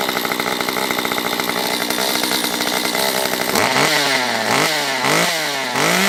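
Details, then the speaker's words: Stihl MS194T chainsaw, previously dead with a fuel problem and no start, after fuel repair with carb richened: warmed up and oiling, crisp high-revving clean steady note, blips up and down with quick even recovery; healthy. "Alright, that's up to temp, and it is oiling, so I think we're ready for a little test."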